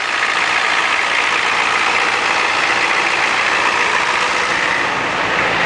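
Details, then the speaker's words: 1987 Ford F-250 6.9L IDI diesel, just started after sitting 5 months, about 40°F, straight-piped as exhaust is shot: loud raspy clatter at steady idle with no misses or stumbles; normal diesel idle. "this thing actually is straight pipe cuz the exhaust is shot on it isn't she beautiful"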